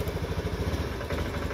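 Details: Honda Beat FI scooter with no fault code on speedometer, stuttering from low to high RPM: full throttle yet choppy uneven pulsing, RPM stuck around 1000–1500 and won't rise; cause unclear.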